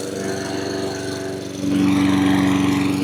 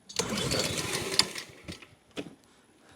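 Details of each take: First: Honda HRN216 mower after new carburetor, air filter, fuel filter and spark plug fixed surging: small engine holds a steady even pitch with no rising and falling, running smoothly without surging. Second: Honda HRN216 mower after new carburetor, new fuel filter and cleaned tank, fuel just turned on: rope-pull bursts sputter briefly and die between pulls; cranks but won't start yet, owner also suspects a stretched auto-choke spring.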